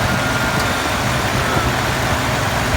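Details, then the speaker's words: Ford 5.4 V8 after replacing the belt tensioner pulley to fix a rattle: smooth, even idle with steady low rumble, no more clicking or rattle from the belt area; repaired, normal. "more clicking sound. Sounds a lot better."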